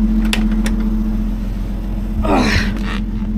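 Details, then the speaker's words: 1961 Rover P4 after swapping its old Bakelite acorn plug caps for rubber boots from a 1967 P6: a steady, even fast idle with a smooth low hum and no misses or stumbles; normal fast idle. "fast idle out a bit there. That sounds great. I'm really pleased with that."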